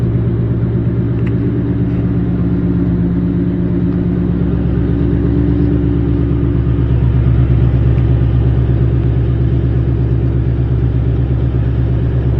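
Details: Newly installed Ford Coyote V8 with 214 miles, driven gently, about 22 mpg: deep, even rumble with a steady beat and no knocks or ticks. Normal running.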